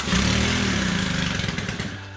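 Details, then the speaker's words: Stihl KM 110R Combi weed eater that had not run in a long time, with a possibly cracked primer bulb and fuel maybe mixed leaner than 32:1 (near 40:1): it catches and revs crisply, then settles to an even buzz. It runs fine. "hey it's not bad"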